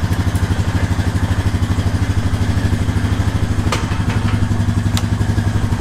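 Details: 2018 Honda Rancher 420 ATV being checked for a bad brake switch: low, even thumping idle with a steady beat, no stumble or miss; engine idling normally.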